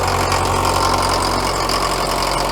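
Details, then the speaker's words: Caterpillar 922B loader diesel, sat over a year, started on jumpers: loud, steady clatter at an even idle with no stumbling or dropouts; running on its own, engine sounds good. "she is running under her own power where try and get this bucket dumped out very quickly beautiful engine sounds good too"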